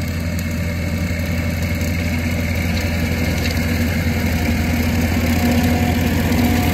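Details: Grandpa's old tractor idling just after its first restart, once the fuel was pulled: an even, low thumping idle at about four beats a second with no misses or knocks. Normal idle.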